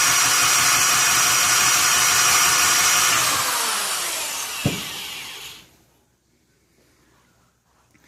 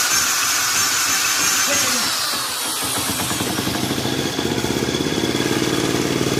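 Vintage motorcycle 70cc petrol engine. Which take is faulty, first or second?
first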